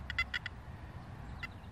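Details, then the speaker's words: Makro Multi Kruzer metal detector in 4-tone mode, gain turned down from 90: faint high warbling chirps come and go over a soft low hiss; background hot noise persists, less bad, though lower gain misses small targets. "Now watch what happens when we turn the gain down. You're still getting that hot noise in the background."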